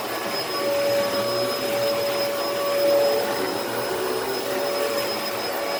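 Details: Dyson DC14 All Floors vacuum in bare floor mode: steady motor roar with a thin strained whistle that wavers and drops out; filter latch piece out of place choking airflow; vacuum straining.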